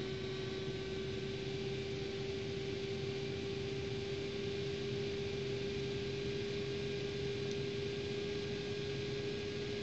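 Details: ASUS GTX 560 Ti DirectCU II graphics card fan: steady whirring with strong, unwavering mid-pitched drone over airflow hiss, abnormal fan noise.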